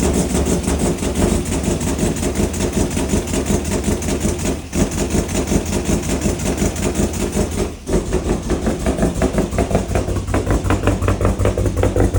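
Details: Ford EF XR6 turbo straight-six run for the first time in about a year and a half, engine later found damaged: uneven, lumpy running with an irregular stumble about every third beat and brief dips, one dead cylinder.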